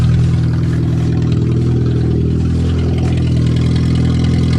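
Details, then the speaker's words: Car not run since early June, cold-started in December with a loose battery connection and a working fuel pump; a steady, even idle with a smooth low hum and no knocks, stumbles or rattles. The engine starts and idles normally. "oh yes she's a runner"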